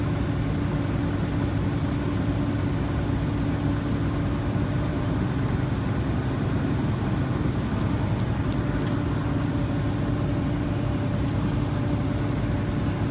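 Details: Truck air brake pretrip test, diesel at low idle while the compressor builds air: even drone, nothing abnormal, compressor cut out at 110 psi and primary needle never exceeded 140, a good test.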